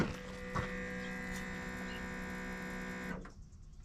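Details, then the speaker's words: 2007 Dodge 2500 4x4, 5.9 Cummins diesel, after fuel filter change (housing torqued to 25 ft-lbs), key-on cycling, listening from rear: fuel lift pump hums evenly about three seconds then shuts off cleanly; normal priming. "I like to do a few cycles of the key. I just come back here and listen to the fuel pump."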